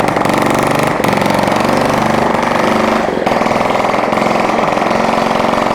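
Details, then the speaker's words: Honda ST70 with rebuilt top end and new carburetor, first start in years, running without exhaust after a kickstart: loud rapid sharp popping at fast steady idle, fires evenly with no misses, starts easily. "Guys, this sucker's gonna start so easy. It does start so easy."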